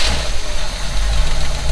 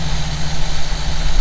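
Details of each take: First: 1952 V8 that died while driving, left sitting almost a year, started on starter fluid: runs rough and uneven for seconds; fuel pump suspected, but cause likely a fuel filter. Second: 1952 truck idling after replacing the fuel filter, likely what had left it sitting almost a year (fuel pump first suspected): low, even idle rumble, steady beat, no stumbles or misses.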